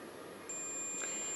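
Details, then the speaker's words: Suzuki GSXR 1000 front brake light switch, owner sure it was dead before an MOT: steady high-pitched continuity tone holds with the switch closed; the switch makes contact and works fine. "there you go off he's working fine and I was that sure it was kneppered"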